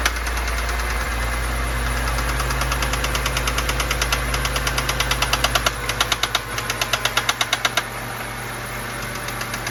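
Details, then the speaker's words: 2011 BMW 328i xDrive (N51 or N21 engine, sources differ) at idle with a sharp regular knock about three per second that comes and goes; owner later certain of spun bearings, considered pulling the valve cover; intermittent engine knock. "comes and goes well we'll see i think i'll probably have to pull the uh valve cover"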